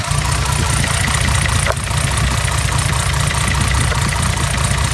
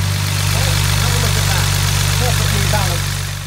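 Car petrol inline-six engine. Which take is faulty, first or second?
first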